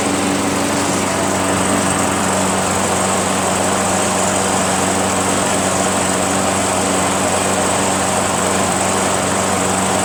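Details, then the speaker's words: Craftsman 21-inch self-propelled high-wheel mower, 6.5 HP Tecumseh single-cylinder, after carb clean and drive cable repair with a longer, lower-tension spring: steady even buzz, no misses, surging or knocks; starts easily and runs smoothly. "now we have a high wheel mower it starts very easily runs pretty well and the front self propulsion works"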